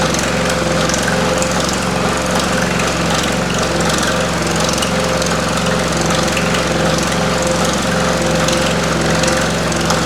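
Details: Pullmax-style machine shrinking metal with Stan Fulton plastic thumbnail shrinking dies; the machine shakes and makes noise at start-up, then runs fairly smoothly: fast, steady hammering with loose rattle over a constant motor drone; normal operation.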